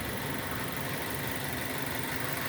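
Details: 2006 Nissan Y11 AD, QG15 e-throttle engine, idling with intake VVT commanded to -10 by scan tool during cam-crank correlation testing; vacuum reads normal. Steady, even idle, smooth low rumble, no misses, knocks or hunting: normal idle.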